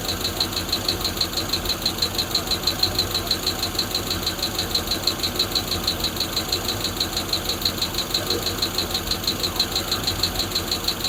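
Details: Freshly built Hemi V8 in a Plymouth Duster, homemade intake, fuel cell, warming at idle: light sharp ticking about three times a second over a smooth idle, one lifter ticking; oil then found low; high-volume oil pump fitted.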